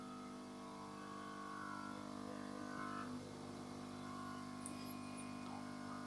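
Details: Yihua 968 DA+ III soldering and desoldering rework station as hot-air airflow is turned up from lowest setting: steady buzzing drone with rattly hum through the case; the air pump vibrates loudly, everything vibrates.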